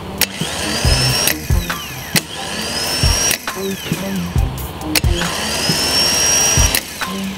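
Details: Honda Civic 5-door starter after cleaning clutch wear dust off the bendix shaft and gear, which had caused a noise on starting: repeated clean whine rising quickly in pitch, free spin-up with no grinding; no extraneous noise, normal starter spin.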